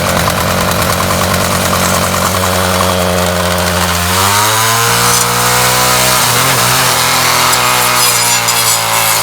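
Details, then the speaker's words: Ryobi 705r 31cc two-stroke line trimmer, trimmer head back on after it broke during 10–15 minutes of brush-cutter use; it revs freely and high with a loose rattle and no load, as the head won't spin from a broken drive cable. "listen closely hopefully we're able to hear that kind of rattle kind of li"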